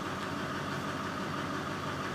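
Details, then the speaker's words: 2001 Duramax turbo diesel HD 2500 four-wheel-drive plow truck, 181,000 miles, cold start on a chilly morning after about 4 days unstarted: steady diesel idle with even light clatter, no misses or knocks; engine healthy. "this is one good running truck has 181,000 Mi on it beautiful plow Fisher plow on it four-wheel drive all works great"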